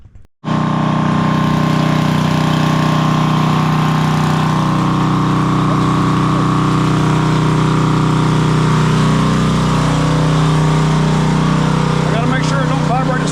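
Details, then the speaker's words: Coleman Powermate Powerbase 5000 generator, 10hp Briggs & Stratton, stored with fuel, running after carburetor cleaning with first-pull start. A steady, even drone with no misses or knocks; sounds good and healthy. Normal running. "she sounds good and healthy woo sounds good and healthy"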